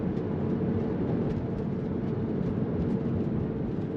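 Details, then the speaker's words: 2001 Porsche 911 Carrera 996, 3.4L flat-six, 6-speed manual with RND roller bearing kit, in-cabin POV drive in second gear downhill: steady road and engine drone, no clunks or knocks over bumps; struts sound healthy. "You do hear the struts working, but they don't sound clunky or damaged or anything like that."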